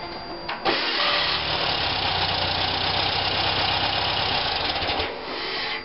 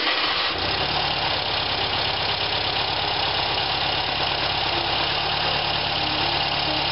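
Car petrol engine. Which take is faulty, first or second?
first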